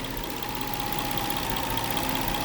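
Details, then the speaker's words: 2009 Nissan Maxima misfire at idle after owner replaced several parts: steady idle with a recurring bump in the rhythm. "So, all right, so in the midst of determining a misfire, if you don't have a scan tool, and like me, being that I replaced all this stuff and it's doing it, it just has a rhythm to it, like you"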